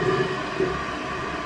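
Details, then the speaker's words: Toilet that keeps running: a constant rushing hiss as the tank refills nonstop because the old fill valve, crusted with calcium deposits, doesn't shut off; fix is replacing the fill valve. "and as you can hear it's just steadily it's steadily running so come over here and look inside um so here's my uh fill valve and what i'm gonna do is i'm gonna replace it"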